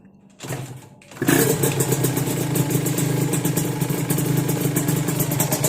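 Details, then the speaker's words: Yamaha VR with TZ engine after water got in and the crank bearing seized: two-stroke starts with a ragged, hunting, unstable idle and slow-dropping revs. It has no engine oil yet and a main jet upsized to 338; owner suspects the carburetor. "เป็นไงนะครับแต่มันมันเนี่ยมันไม่นิ่งเห็นั้มันมันไม่นิ่งเท่าไหร่นะครับ"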